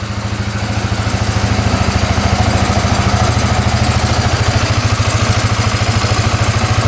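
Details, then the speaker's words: 2010 Polaris Sportsman 550 EFI ATV, running after cutting a clogged case breather line: steady even low putter at idle about 160 pulses a minute, no misses, knocks or smoke, settles back after revving; normal idle. "Come right back down to idle. Huh? Well, I think we fixed it. We're let this idle for a bit, but yeah, sounds pretty good."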